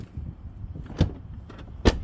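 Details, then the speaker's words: Tesla door after its alignment was adjusted inward toward the frame for a tighter seal against wind noise: two short, sharp thumps with no rattle, solid compared with the unadjusted rear door. Solid door close. "Ooh, yeah, so much nicer. Sounds like it's got brand new."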